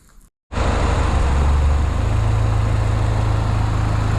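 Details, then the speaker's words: Vauxhall Astra MK4 GSi turbo, first start after cylinder head replacement with some collapsed followers replaced and turbo oil primed: catches cleanly and settles into a steady, even idle, no knocks, ticks or misfires, no leaks; slight white smoke from coolant in bores. "it's running now, no leaks so far."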